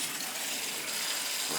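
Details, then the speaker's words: Crown gas boiler (converted from oil, installed 3-4 years earlier), purging upper-floor heating zone: rushing water broken by spitting, sputtering bursts as trapped air blows out the purge valve; feeder possibly stuck, zone air-bound. "could have been the feeder was stuck to when i got here that's enough to do it stock feeder oh yeah there's definitely air in this one hear it the upper floor"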